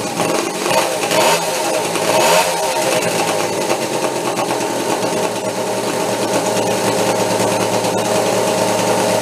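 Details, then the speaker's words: Homebuilt steampunk motorcycle on twin OCC chopper two-stroke engines, first start after years in storage, warming up: steady buzzy two-stroke clatter with no drop-outs, now running on both engines with a little heat in it; normal running. "that's I it now it's on both of them there a little bit of heat in it"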